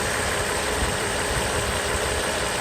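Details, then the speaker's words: Mercedes SL600 V12 after the repaired throttle body test for an ASR fault: a smooth, steady idle with an even hum and no misses or hunting, running nicely. "works pretty happy with the result you see the engine runs nice ready so we're good to go"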